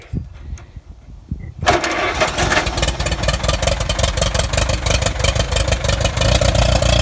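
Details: Allis-Chalmers Model B tractor, first start in a couple of years after an oil change, cleaned points, new plugs, a fixed kill wire and a cleaned fuel bowl and tank: it cranks briefly, catches at once and settles into a steady, lumpy idle about three beats a second.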